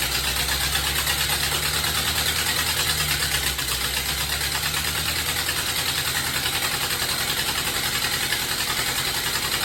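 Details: 1930 Ford Model A pickup four-cylinder, restarted after a machined warped head, refitted valve springs and replaced distributor, started on starter fluid: an uneven, loping idle with a hissy, unsteady note; the carburettor is still not right.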